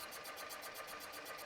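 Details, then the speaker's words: Boring bar on automatic feed taking a 0.002 in cut down a sleeved cylinder: light, even ticking about eight times a second over the cutting hiss, as the cutter clips one small high spot each turn. "Oh, there's one little nub there. I if y'all can hear it hitting one little nub that it needs to get."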